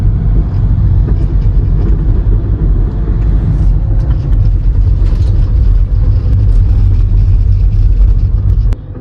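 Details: Skoda Rapid diesel driven over bumps gives road rumble with sharp front suspension knocks; the lower control arm bush was cut and touching the body, and it was replaced.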